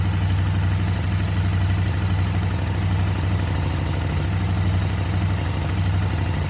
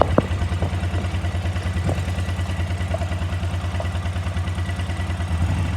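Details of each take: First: KTM 950 V-twin at idle after carb sync, both airflow readings close to about 10: even, steady lope with no stumble or hunting; carbs balanced, running healthy. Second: KTM 950 twin-carburettor motorcycle, warmed up at idle before synchronising: steady low thumping at about three pulses a second, slightly lumpy and uneven; unequal airflow readings show the carburettors are out of balance.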